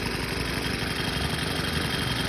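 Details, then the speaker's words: Craftsman 29cc four-stroke wheeled edger after new fuel line, tank cleanout of two-stroke mix, oil change and fresh gas: even, steady putter with no misses, knocks or surging; running normally. "It's running now. Apparently all I needed was some fuel lines and tank clean out and stuff, and some good fuel."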